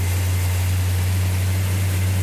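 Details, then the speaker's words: Restored 340 Duster V8 start after distributor adjustment, choke held, no primer fuel: deep, steady rumble with even beat, no misses or knocks; sounds healthy, normal running. "like that justin sounds healthy what sounds healthy what oh it sounds good yeah fantastic"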